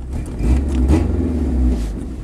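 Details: Ford Ranger, 2.3 L four-cylinder, 5-speed, headers, straight pipe into a Thrush glasspack, idle raised: revs up smoothly and settles back with an even note, no stumble or shake; sounds healthy.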